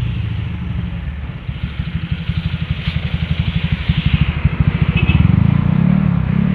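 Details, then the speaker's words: Honda Vario 125 scooter with SPC 59 engine build after fixing high-compression detonation, ECU mapping unchanged, riding under load; deep even thrum rising smoothly with speed, no pinging, power restored. "Oke teman-teman alhamdulillah nih ya setelan udah enak ngerik udah enggak ada Power udah ngisi"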